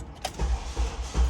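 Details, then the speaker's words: Honda Element K24 with a blown head gasket after overheating from low coolant: sluggish, labored cranking with dull pulses about every 0.4 seconds and no catch; owner says the battery is dead, slow cranking. "Oh, freaking great. Battery's dead."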